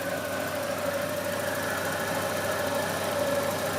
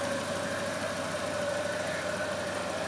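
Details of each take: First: Volvo 240, first start after months off the road for water pump, timing belt, thermostat, B cam, shims and ECU, still cold: steady idle with a faint high whine and exhaust hiss; owner suspects an exhaust leak, whine possibly the fan. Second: Volvo 240, first start after months off the road for water pump, timing belt, thermostat, B cam, shims and Redblockpowered ECU/EZK: even idle, no knocks, with a faint whine that owner suspects is the fan, plus a suspected exhaust leak; engine not yet warm.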